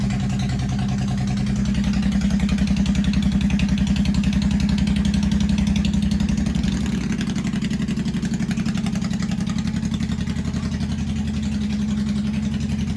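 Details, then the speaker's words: 1985 Honda VT1100 Shadow V-twin, first start in 25 years, enricher off, idle bumped up after carb work. Loud raised idle of about 220 pulses a minute through open pipes without mufflers, slightly uneven but steady. Carburetors not yet synchronized. "That's not too bad. That's with the enricher off, and just the idle I had bumped up apparently when I was doing the carbs, and they're not even balanced yet. And she's running pretty damn good."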